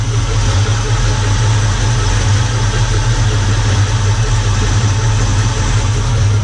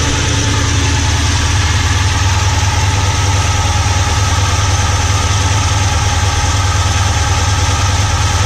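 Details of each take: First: Holden Commodore fitted with a 660 carburettor that had not moved for over a year, just after carb tuning: deep, steady, even idle with a low rumble and no misses, knocks or hunting; engine running smoothly. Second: VK Commodore that hasn't moved for over a year, running on old fuel: steady idle with fast light ticking clatter over the low drone, from the hydraulic lifters tapping on the camshaft.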